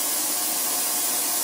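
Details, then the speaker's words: 10L ultrasonic cleaner with 300 W heater, defaults 50 °C and 5 minutes, gives a harsh steady high-pitched hiss-like buzz with no low end, mostly the metal lid vibrating metal on metal. "Yeah, unbelievably loud. I think, and most of that, when you take the lid off, you can tell most of that sound is just the top of it vibrating, metal on metal."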